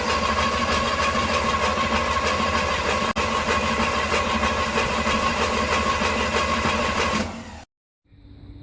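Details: 1981 Pontiac Trans Am 301 turbo 4.9 L V8 with newly installed FiTech EFI, first start: starter cranks steadily about three turns a second for seven seconds, never catches; distributor blue tach wire had been pulled out, so no RPM signal reached the EFI.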